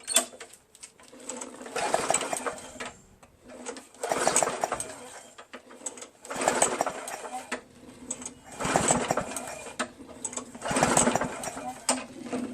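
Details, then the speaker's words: Free curbside Murray push mower, Briggs 4.5 HP: recoil pulls turn the engine over but it never fires; primer gives no squirting sound despite yellowish gas in tank, fuel starvation suspected; air cleaner coming off to spray starting fluid. "it's not going to start. Let's remove the air cleaner real quick and shoot some fluid in there"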